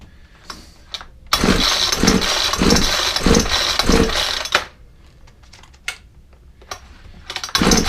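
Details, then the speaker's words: Ryobi four-stroke trimmer, spark plug refitted and fuel added, catches with a quick popping chug for a few seconds then dies; owner suspects the carburettor isn't priming and plans a carburettor swap. "then definitely fired I heard it pop a bit more fuel I think the issue is is the carburetor is uh not priming that's the issue"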